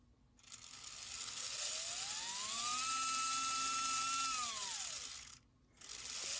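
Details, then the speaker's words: Bowser PRR M1 4-8-2 HO scale steam locomotive kit, DC71 motor: clean whine climbs, holds, winds down with no catching after loosening a screw that pressed the rear axle bearing; chassis now runs freely. "that seems better yeah that's a lot better"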